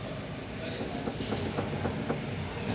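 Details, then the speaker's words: Toyota Avanza with front suspension clunking on bad roads: the suspension arm is rocked by hand, giving dull, evenly spaced knocks about four a second. Cause: cracked rear control arm bushing. "Yang busing bagian belakang ini terlihat ya sudah pecah. Kalau sudah seperti ini dia bisa menjadi penyebab bunyi ya pasti ini teman-teman tuh kayak gini lodaklodak lodak."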